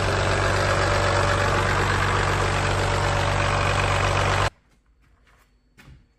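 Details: Used Cummins P-pump diesel bought to replace a worn Ford 7.3 IDI, heard running before installation: even, regular diesel clatter at a steady idle for about four seconds, then a clean shutdown; healthy engine.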